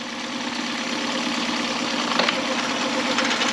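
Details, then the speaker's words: 2011 Mercury 9.9 four-stroke long shaft, after a full service with a new carb kit: steady even idle in neutral with a smooth hiss and no knocks or misses. "and then into reverse it's just really nicely and then back to neutral the engine sounds really good"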